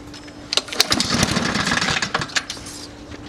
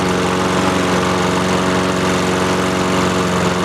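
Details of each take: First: Free roadside Honda-engined lawnmower pulled on the recoil starter: quick ratcheting pulls spin the engine with no firing at all. It would not start because the fuel valve was left closed. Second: Free roadside Honda-engine walk-behind lawnmower, started after opening the fuel valve that had been off: small single-cylinder putters at a steady even beat with no misses or surging; runs cleanly.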